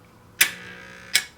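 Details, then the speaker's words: NuTone 478 apartment intercom door release held up close to the mic, vibrating on the desk: two crisp single clicks about three quarters of a second apart with only a faint buzz; normal, correctly working door release click. "all they're going to hear is the click this is the way it's supposed to be done"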